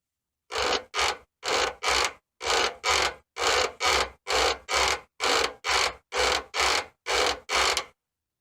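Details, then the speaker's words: Formula's rear suspension creaks like a rocking chair: dry, rhythmic creak about once a second each time the rear is pushed down and released; owner suspects the rear shocks rather than bushings, not confirmed. "it's noise I have a sneaky suspicion another most of our noise coming from these shocks"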